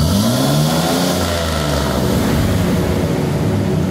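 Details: GMC Jimmy (same as Blazer/S-10) with 4.3 Vortec V6, owner reports strong vibration, high fuel use and fuel smell; throttle snaps toward 3000–4000 rpm, uneven lumpy revs with ragged stumble on the rise, rich misfire.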